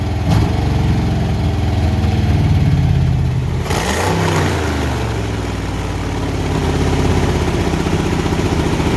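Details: Junkyard Ford Fox-body Mustang 5.0 V8, after throttle position sensor swap and fuel leak: deep burble fires, picks up cleanly on throttle and settles back without stumble or sputter; normal start and revving.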